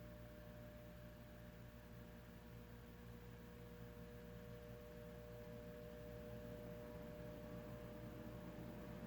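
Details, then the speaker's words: Dayton Lasko commercial ceiling fan with 40" blades, run on a solid-state speed control; the motor is reportedly 16-pole: a low steady hum with a faint constant tone and no rattle or wobble, rated quiet enough for a living room; normal running. "one of the quietest ones I've heard. Yeah. I'd say living room."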